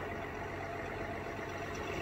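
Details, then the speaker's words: 2021 GMC Sierra 1500 3.0L Duramax diesel, after radiator fan stuck on high from block heater use, fixed by disconnecting battery 15 minutes: steady diesel idle clatter with no loud fan. Normal idle. "no loud fan uh so that's good news"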